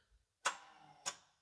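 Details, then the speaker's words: Japanese turbo AWD manual tuner car, fuel disabled during compression testing: two sharp clicks half a second apart instead of cranking, intermittent starter clicking; bad starter suspected. "I think we have a bad starter. Every once in a while, it just kind of clicks like that."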